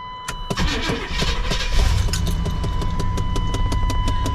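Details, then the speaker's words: 31-year-old Chevy dually truck, 130,000 miles, at startup: engine catches, then light regular tapping about five times a second over the idle, owner believes from the blower motor, which runs about a minute then stops; engine runs well. "You hear it tapping over there. But the truck runs really good."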